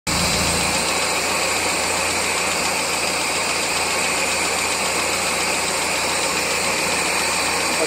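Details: 1999 Miata, tick began after track sessions, unchanged after valve lash set to spec and oil change; steady idle with light quick top-end tapping, louder as revs drop, loudest above #4 spark plug; all four cylinders running, source not pinned down.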